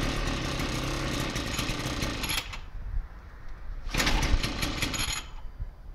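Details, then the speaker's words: 33cc Mototech pocket bike two-stroke, just bought, runs and drives but needs a little tune-up and cleanup: rapid, rattly buzzing chatter in loud bursts between quieter gaps, firing and running. "And it runs and drives, needs a little bit of tune up and a little bit of clean up here and there, but it is all in working condition and should be pretty fun."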